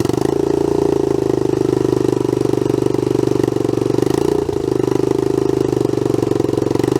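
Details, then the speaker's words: Honda CT110 Trail abandoned in a garden for years, after the carb fuel filter was cleaned and the bowl drained: the single cylinder now runs a steady, even idle with a sharp chuff on every beat from an exhaust leak. "hear the exhaust blowing I think we've got some work to do"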